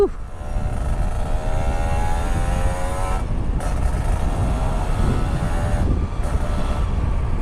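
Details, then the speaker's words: Kawasaki Ninja two-stroke after replacing a faulty battery that had sapped power and made the exhaust sound dull and tinny: crisp buzz climbing cleanly in pitch through each gear with strong pull; engine healthy and free-revving. "Kemarin Sius Motovlog nggak berani ngegas begini sih, karena memang nggak ada tenaganya ini motor ini cuy."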